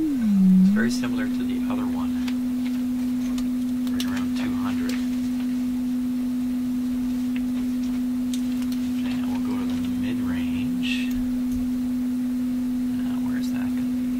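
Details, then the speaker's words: Electrohome Kalmar console speaker crossover, midrange output fed by audio signal generator through a Heathkit mono amp into one general-coverage speaker, before capacitor replacement: steady test tone around two hundred cycles with a faint rough edge, a funny distorted sound. "midrange is going to be here get on there there's that funny sound"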